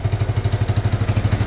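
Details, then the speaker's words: Barn-find off-road buggy, small petrol engine with centrifugal clutch, not run for a while: even steady low thumping about eleven beats a second, no misses or rattles; idling smoothly, runs well. "It does move. It's got a nice sound to it, actually. Runs well."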